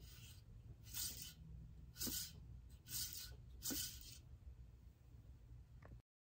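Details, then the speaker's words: AC Delco reman Optispark from a 1995 Corvette fresh rebuilt LT1, reassembled without internals and rotor clamped on, shaft turned: dry scraping rasp in bursts about once a second; optical wheel rubbing the sensor from bad assembly with no clearance. "I put the hopti back without any of the internal parts just to see when I clamped the rotor back on how bad that Optical wheel was rubbing the sensor"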